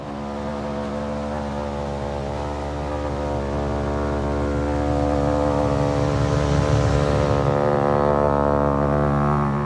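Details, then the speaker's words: RV rooftop air conditioner in 100° Texas heat: a steady droning hum with a coarse buzz on top. A loose flap inside the ceiling duct flutters in the airflow and also leaks air; to be taped. "That loud buzzing sound is inside the duct inside the ceiling because it's probably got a loose flap, and so it's in the wind."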